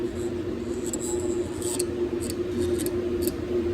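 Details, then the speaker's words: Beko heat-pump dryer solenoid valve coil energized with dryer on, coil removed from valve and screwdriver held to it: faint steady mains hum with light clicks; normal buzz, coil gets voltage and makes a good magnetic field to retract the plunger. "So, dryer's on. I don't know if you can hear that thing buzzing a little bit, but um yeah, there's a good magnetic field there."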